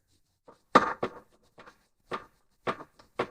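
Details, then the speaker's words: 2001 Mercedes W210 E55 AMG with a front-end driving vibration, front wheel rocked by hand at 12 and 6 o'clock: about six dull clunks of loose play. Worn front wheel bearing. "the way that we will verify it's a wheel bearing is by putting your hand at 12 and at six on the wheel and shaking the wheel back and forth"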